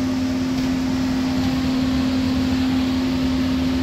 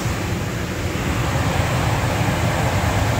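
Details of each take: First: Furnace blower, possibly a motor installed a few months earlier, after a power outage: a loud steady single-pitch hum over the air rush; the cause is unclear, possibly something stuck in the unit. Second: Furnace blower after the humming motor was replaced with a new motor, capacitor sizing considered; smooth steady airflow with an even low drone, the weird humming sound is gone.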